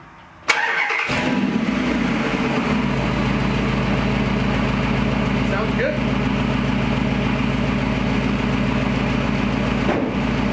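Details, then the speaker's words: Gen 3 Hemi in a 1952 Dodge pickup, with exhaust fitted and in park, starting after the ECU relearn: the starter whirs, the engine fires and settles into a steady, deep burble with an even beat and no knocks or misses; healthy idle. "let that run a minute. Wow, it really sounds good. I mean, it's got exhaust on it."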